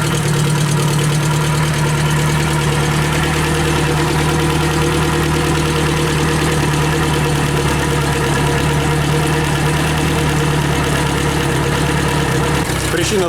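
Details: Yamaha F60 outboard, warmed up, brought in for knocking at crankshaft near cylinders 3–4, after repair: steady even hum and smooth low drone, no knocking or tapping; fault found and fixed.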